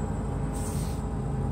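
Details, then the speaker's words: 1987 Lennox Pulse furnace, pre-purge motor replaced, front cover bolted back on: low steady hum with no rattles or surges, most noise from the buffer tube; running normally and quietly. "amazing most of the noise actually comes from this buffer tube when the system is running"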